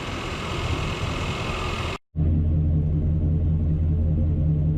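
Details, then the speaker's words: 1993 Chevrolet throttle-body 350 V8 truck, after a pigtail change and replacing the fail-safe thermostat with a standard one, in closed loop: low, even idle rumble with no misses or knocks. Normal idle. "That old 350 sounds good through that float. Okay. Idle staying good and low."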